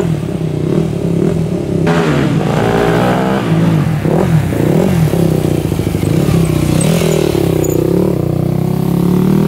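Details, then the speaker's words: 2001 Yamaha WR250F street-legal dirt bike after valve work, bump-started; loud single revving and blipping through gears with a slightly sharp, uneven note; owner suspects jetting slightly lean; later would not restart. "all right we were able to bump start it and it sounded pretty decent um I think the jetting might be a little bit off it almost sounds like it's a little bit lean to me"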